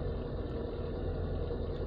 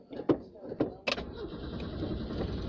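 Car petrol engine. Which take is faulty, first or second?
second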